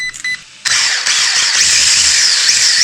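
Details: Tamiya MF-01X RC car on a 3S battery with a 4,000KV motor, bench-tested after a dodgy crash repair before a speed run: a click, then a loud, high, steady whine holding pitch without grinding or rattle; motor and gears running cleanly.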